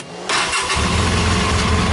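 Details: 2013 Polaris RZR 800 after repairing a broken feed wire; brief crank, then catches cleanly and settles into a steady, even idle with no misses.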